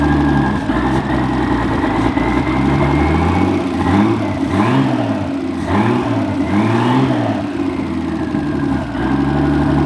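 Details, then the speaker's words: Nissan Skyline R31 with an RB30E six-cylinder, with a distributor and coil of unknown history: the idle hunts up and down roughly every second, revs surging and sagging, and won't hold steady. Owner suspects bad spark. "and then next time I'll draw and diagnose why it's not idling properly"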